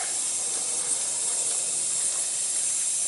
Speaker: she blows aren't you glad i got good hearing i might have to get a new fitting here